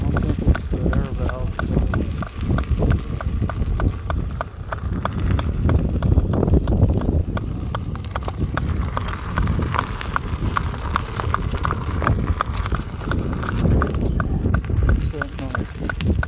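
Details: KingSong S22 electric unicycle: a steady, repeating knock, a few per second, heard while riding under heavy wind rumble; the knocking sound has returned; source unknown.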